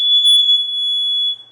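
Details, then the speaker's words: Explosive gas and carbon monoxide detector sounds a piercing, steady high-pitched tone for over a second, then cuts off, as it is powered up and tested indoors. "explosive gas alarm I hope this doesn't go off"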